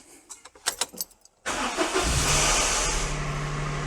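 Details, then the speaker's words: Daihatsu Sirion after new alternator, water pump and belt: engine cranks and catches, then a steady low whirr keeps running over the idle as the starter motor fails to disengage properly after start-up. "there's a new noise uh the starter motor is not disengaging properly anymore"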